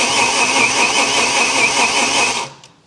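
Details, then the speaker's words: BMW S85 V10 after nearly ten years, cranking before first start: even, steady churn; earlier slapping from the cylinder heads has dissipated as oil pressure builds, then stops cleanly. Normal cranking; fuel pressure and DME still to be checked. "that's it now that the sound is dissipated I know that I have enough oil pressure to make this thing solid"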